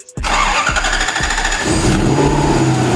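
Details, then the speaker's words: Lexus IS200 with swapped 1UZ V8 on ECU Master ECU and harness, first start: quick crank, engine catches and settles into steady even idle; ignition timing still to be set (33 degrees); normal engine start. "Voilà. Ça tourne. Bon, les bobines, faut pas poser de questions. Bon, là, il va falloir qu'on règle l'allumage."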